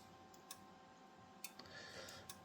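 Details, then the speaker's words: Rigol DM858 multimeter, hardware 1.02, on DC volts autorange measuring 8.7 V, whose earlier hardware versions had DCV autorange faults: three crisp relay clicks about a second apart, with no drop seen on the oscilloscope. Normal relay clicking. "And if I do this, you hear the relay clicking, but if you watch on the oscilloscope, there is no drop seen. So, that means that meter looks like it's working properly."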